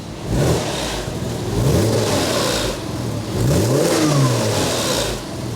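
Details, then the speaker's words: Porsche Boxster 986 S Tiptronic at full temperature after about 40 miles, listened to from the rear while revved; warm flat-six blips twice smoothly, sounds quiet with no top-end ticking that would indicate engine issues on 986s. "The other thing that I know on 986s, if they've got engine issues, you can hear a ticking coming from here, and yours sounds really quiet."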